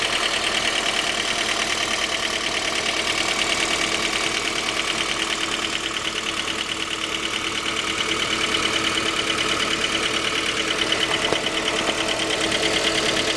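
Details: J20A engine (2010), cold idle: regular light knock about three per second over the engine. Knock began at 10,000 km and seemed to grow after oil changes; dealer checks were fine. Cause was a scored crankshaft journal on cylinder 3, blamed on non-recommended oil; short block replaced.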